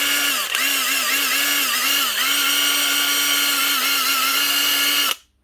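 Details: Bosch GDR 18V-Li cordless impact driver, about 10 years old (circa 2013–2014 set), whirs with wavering pitch for about five seconds then cuts out abruptly; intermittent running, owner suspects the switch or a battery contact problem, not confirmed.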